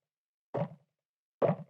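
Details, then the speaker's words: Wildtronics Feather Light parabolic dish with dampening ring fitted, tapped twice; short dull taps with no ring after, showing the dampening ring greatly reduces pinging and ringing. "It makes a huge difference. So if you think you need that, you don't have to use them at all."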